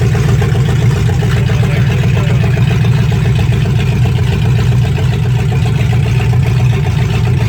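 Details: 1965 Ford Mustang fastback 289 V8 with Tri-Y headers, first start after 44 years, carburetor dripping and needing rebuild: deep, even burble at idle with a steady low pulse and no heavy knocks or clatter; runs healthy.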